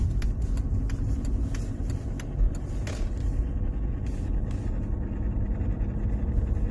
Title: Strange noise on gearbox on Mercedes Benz w203 . Help